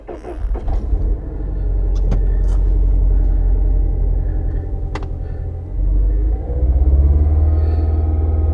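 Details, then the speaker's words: 2011 Mini Countryman after replacing both cam timing sensors (P0343/P0368) and cleaning sooted plugs 1 and 4: cranks and settles into a low idle that still wavers and stumbles; live data shows cylinder 2 misfire, plug 2 to clean. "So I need to clean plug 2. Cleaning plug 4 helped out quite a bit."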